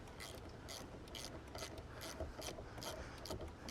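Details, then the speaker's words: Jeep Wrangler Rubicon after wiring a CarPlay port and two USB plugs into the upper dash: quick, slightly uneven bursts of clicking, about two a second, as the battery terminal is reconnected; owner thinks it may come from the fuse. "was gonna say, that kind of sounds like it's coming from the fuse."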